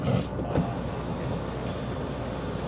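Low, even motor hum while the roof travels, with no grinding, binding or clicking; the sunroof mechanism works smoothly.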